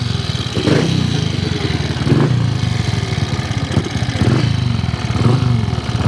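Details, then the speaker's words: Triumph Tiger Cub single-cylinder motorcycle run on rollers outside, throttle blips, lumpy low beat; sounds much better than before but emits unacceptable heavy oil smoke, new piston rings on order. "It sounds way better than before. And you'll also see how much smoke is coming out the back. It's kind of unacceptable, but new rings are on the"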